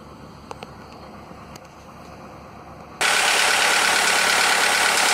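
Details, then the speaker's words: Skoda (probably Fabia) with VW 1.4 16V petrol engine after swapping in used pistons to cure piston slap: a quiet start, then a loud, steady, even idle with no tapping; the knock, once present cold and warm and worse warm, is gone. "Wcześniej to klepał zimny, ciepły, bez różnicy. Zimny trochę mniej klepał, po rozgrzaniu bardziej, ale widać, że jakiekolwiek klepanie w tej chwili już jest zlikwidowane w tym silniku."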